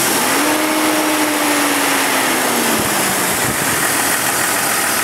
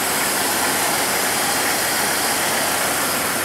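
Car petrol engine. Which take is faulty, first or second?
first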